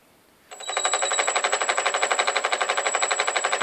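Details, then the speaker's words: Skyartec Cessna 182 5-channel 2.4GHz RC plane with Li-Po-powered brushless motor: on opening the throttle, a rapid ringing stutter at about four pulses a second and the motor never spins up, stopping at zero throttle; cause unclear. "and then just stops put throttle back to zero stops"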